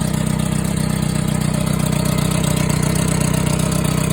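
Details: Yamaha XJR400R motorcycle idling evenly with a fast, light ticking about three times per second; owner suspects tappet noise, but the cause is unknown.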